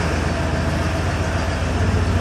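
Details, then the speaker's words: 1988 Ford F250 with a 5.8L 351 V8, sat two years, after fuel injector work: steady, even idle with all cylinders firing and a faint exhaust pulse, about 95% better; normal idle. "can always tell it's got a little bit of a pulse it's probably 95% better I'm happy with that we'll send her on the road get her tags and DQ slit should pass just fine now that all the cylinders are idling as they should"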